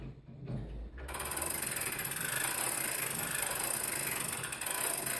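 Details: Longcase grandfather clock by John Owen, 1765, being set up: the weight is wound on its pulley all the way up toward the seat board. A quick, even run of crisp ratchet clicks with no slipping; a normal, healthy winding click.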